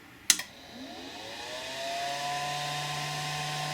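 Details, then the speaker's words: Flashforge Dreamer 3D printer, new, first power-on at 230 V: click at switch-on, then fans whir up over about two seconds and settle into an even hum, followed by three beeps; normal cooling fans. "flush Forge you can hear the fans you get three beeps"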